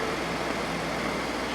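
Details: Ford 3.5L EcoBoost pickup after high-pressure fuel pump replacement for P0087/P053F loss of power, codes cleared: smooth, steady idle with no misses, knocks or pump whine; fuel rail pressure 217 psi actual vs 210 desired, normal.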